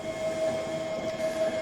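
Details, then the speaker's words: Rockwood UltraLite fifth-wheel front landing legs extending on the motor: steady mid-pitched electric hum with faint gear whir, loading up slightly as the legs take the weight; normal landing leg motor operation. "now you can see the legs going down and then you'll hear the motor just slightly sort of load up as it's taking the weight there you go now that's taking the weight"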